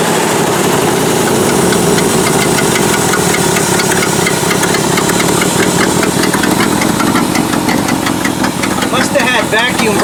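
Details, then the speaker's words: Ford F600 dump truck started for the first time in years: loud, lumpy, unsteady idle with a hissy edge while running with the choke almost fully on; the carburetor is messed up and there is a massive vacuum leak of unknown location. "carburetor is totally messed up uh it's running with the choke almost all the way on but it never even labored really and pulled right through it so mechanically it would probably do the job got a massive vacuum leak i just can't figure out where it is"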